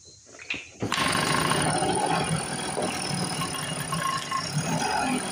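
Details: A rusty Speedway Series 1000-watt two-stroke portable generator from an auction, started with a short makeshift pull rope, catches and keeps running with a buzzy, slightly uneven note. The engine starts and runs.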